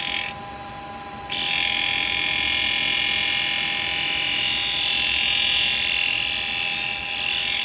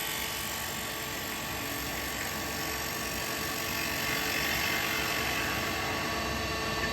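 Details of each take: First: Woodturning with a carbide tool at the normal 2,500 rpm after gluing a crack in the yew piece: steady high hiss of a clean cut over even motor hum, no rhythmic ticking; smooth, healthy cut with bevel support. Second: Small yew bowl on a lathe sped up to 2,800 RPM, cut with a carbide hollowing tool: high steady cutting hiss with faint quick ticking and a skip from the crack; cracked bowl blank.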